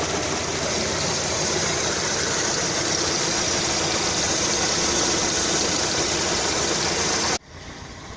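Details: Lada Kalina 2 petrol engine idling hot at about 90°C with a rapid ticking knock, louder under load and absent cold, first suspected as hydraulic lifters but found to be the alternator belt, fixed by replacing it.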